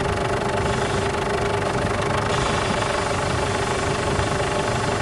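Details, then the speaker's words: Ford Everest at idle with steering turned: steady mid-pitched whine like a power steering pump starved of fluid, steering very stiff, fluid still black after a change; pump whine suspected, unconfirmed. "Narinig niyo mga boss ano? Meron siyang umiingay na parang hindi siya nasusuplay ng langis."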